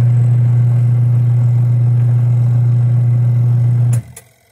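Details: Portable twin-tub 5 kg washer, capacitor 35+4 µF, spinning with no load: steady low hum at one constant pitch, then switched off and dying away. Owner says the spinner runs but does not pull strongly and only wrings, not dries.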